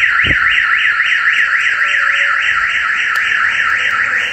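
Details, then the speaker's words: Mercedes Vito with newly fitted alarm and tracking system, locked and armed, window tapped to test the shock sensor: loud warbling siren sweeping about four times a second; alarm triggered by the shock sensor, SMS notification sent. "Κλειδώνουμε το αυτοκίνητο. Και ενεργοποιούμε το σύστημά μας. Θα χτυπήσουμε εδώ στο τζάμι να δούμε τον κραδασμό."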